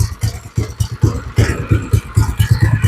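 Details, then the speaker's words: Deadpool go-kart small engine just started after getting it running: slow, lumpy, uneven chugging just under one beat a second, near stalling; idle speed set too low, owner turning the idle screw up gradually. "see it sounds like the idle's just way low but I don't want to turn it up too far because I don't want to try to run off on me"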